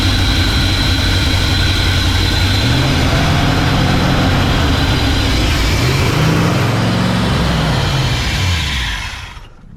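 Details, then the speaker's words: 1968 Ford F100 during 4-barrel carburetor conversion and timing chain work: idle hunts up and down with a loping, uneven beat instead of settling; rough running traced to a thumb-size vacuum leak hole. "is an issue with a vacuum leak somewhere crazy we figured out where our vacuum leak was coming from didn't we old man yeah about a thumb size hole"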